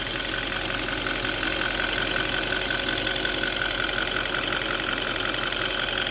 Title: D8 engine ticking sound